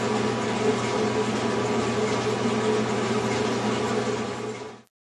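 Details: General Electric clothes dryer running with a steady, even hum and rush, no scraping or thumping, then stopping, after replacing the front drum slides that caused the noise.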